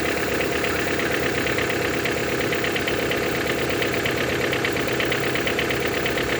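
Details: Toyota 5A-FE engine at idle: sharp metallic tapping, a couple of knocks per second, over a steady idle. Knock is louder when cold; valve clearance adjustment did not fix it. Source still unknown.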